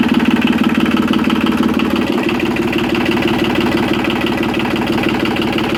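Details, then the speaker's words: Yanmar 3QM30 marine diesel, jump-started with the decompression lever in run and no cooling water connected yet, idles with an even clatter of about three beats a second and no knock or miss. Oil pressure reached 75–80 psi. Normal, healthy idle. "but it did get up to about 75 80 psi oil pressure I think it sounds pretty good"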